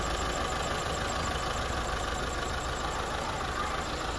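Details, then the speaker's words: Rebuilt Mitsubishi Lancer 4G15 four-cylinder, ready to release to customer: soft, even hiss and low murmur with no knocks or misses, almost seems not running; normal idle. "Yan o, halos parang hindi umaandar mga padi. Tahimik lang yan."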